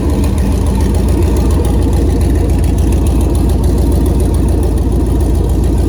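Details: 2008 Chevrolet Silverado prerunner, first start on a new Holley Terminator X Max ECU with Aeromotive 340 fuel pumps, after an earlier rough attempt was fixed. Deep, steady low rumble at idle with an even beat and no knocks or misses; engine idling normally.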